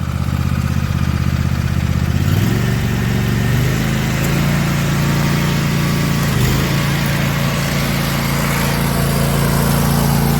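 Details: Cub Cadet LTX 1046 VT hydrostatic with Briggs and Stratton engine and MTD snowblower attachment, worm gear just rebuilt with new parts: steady, even drone settling lower as the blower takes load, no knocks or grinding; normal running.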